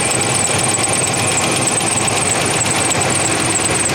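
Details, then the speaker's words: 1987 Chevrolet S10 truck just started and warming up: steady idle with a high, fast chirping chatter from one of the accessory pulleys, not yet identified which. "So I'm pretty sure you can hear that, that chirping."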